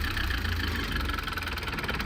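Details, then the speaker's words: Old Renault 4x4 timber lorry diesel: low, lumpy idle with no pickup even with fuel pump flat out; idles but won't rev, fuel starvation suspected, not confirmed. "Why is she not revving? That was with the fuel pump flat out, and she's only just idling."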